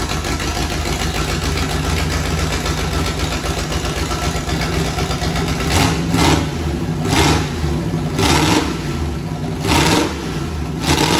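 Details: V8 turbo burnout-car build, first start before turbo fitted, no alternator belt: steady idle, then several clean throttle blips rising and falling smoothly; runs well.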